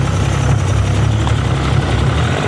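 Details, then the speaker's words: Rebuilt Yamaha 75hp two-stroke outboard uprated to 90hp, running in with 25:1 double oil (normally 50:1), held at raised revs: strong, even low drone with loud induction noise, no misses or knocks; healthy freshly rebuilt engine. "It's a right induction noise."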